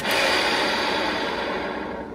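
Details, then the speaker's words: Smart Fortwo secondary air pump, removed and bench-tested on wired leads: loud, harsh rasping whirr as it spins up and winds down, showing its internal bearings are bad. "that that's how you know the bearings are bad inside of these"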